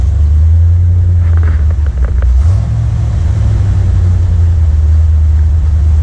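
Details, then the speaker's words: 1979 Corvette L82 V8, in neutral, hood down, after the choke opened: low, uneven rumble that sags and surges about every two and a half seconds. Rough, stumbling idle; a smoke test found no vacuum leak, cause unconfirmed. "This is the closest to an idle it's ever been, but it's still like stumbling."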